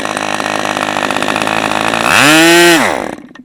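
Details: New-in-box OS 40 FP glow engine, first run on stand, 11x5 Zinger prop, OS #8 plug, 5% castor/synthetic fuel, run fairly hard: steady high-pitched buzz, clean sweep to full revs and crisp cutoff; normal running.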